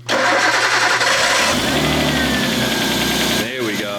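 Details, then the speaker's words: RB25DET swapped into a Nissan R33, freshly filled with coolant, warming toward operating temp: catches and settles to fast idle with light uneven head ticking, quieter than yesterday; lifters expected to bleed down with rpm and load. "so the head's still a little noisy not nearly as bad as yesterday it's gonna take a little while for it to bleed out once we get it up in the rpms and get some load into it that should bleed right out and it should really quiet up"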